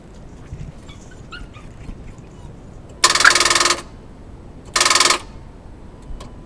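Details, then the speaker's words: 2000 Dodge Durango 5.9 L V8 starting problem: key turned twice, each giving a short burst of fast solenoid clicking with no cranking; starter doesn't engage, dead or weak battery or bad battery connections suspected. "okay so as you probably heard um we heard the clicking of the uh solenoid so the starter didn't even uh was able to engage"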